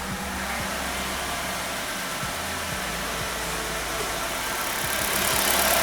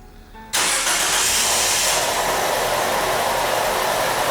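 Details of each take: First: 2013 Nissan Qashqai, 1.6 engine, JF015 CVT at 90,000 km, after repair of a noisy CVT. Idling in Drive with the brake off, the engine ticks over evenly. No whine, grind or clunk from the gearbox, just a steady hum; the original noise is gone. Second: 2013 Nissan Qashqai, 1.6 engine, FWD, JF015 CVT, just over 90,000 km: engine starts into a loud, steady hissing whir at idle in Park, noise changing with selector position, from a failed CVT bearing; metal shavings found in filter.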